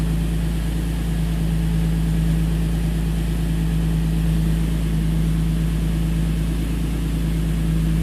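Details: 2005 Infiniti G35, VQ35DE Rev-Up, 6-speed manual, owned from new for 11 years: a low, smooth idle hum holds dead steady with no stumble or miss. Air-fuel ratio reads about 14.6–14.7, so it idles cleanly.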